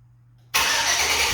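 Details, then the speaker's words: 1999–2007 GMT800 GM truck (Silverado/Sierra/Tahoe/Yukon) after fixing a no-crank fault: silence, then the engine catches at once and settles into an even run. Normal start and idle. "Once you guys have isolated the issue, you should have a fully operational vehicle again."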